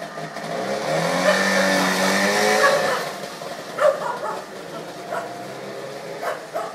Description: First start of my Trabant 601 after staying in a garage for 7 years.